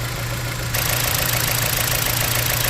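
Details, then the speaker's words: Dodge Journey, code P0301, idling with engine visibly shaking: rough lumpy uneven thrum; unplugging cylinder one changed nothing and swapping coils moved the misfire, a failed ignition coil; cylinder misfire at idle. "P0301 son on misfire let's take a look motor's actively shaking"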